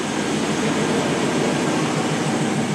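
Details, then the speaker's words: 2002 GMC Sierra 2500HD after exhaust manifold gasket and bolt repair, first start: steady even idle with soft injector clatter, no exhaust tick; normal idle, though slight blowby remains at a welded cover. "let's see what it sounds like sounds quiet wow it's quieter not ricky ticky tabby"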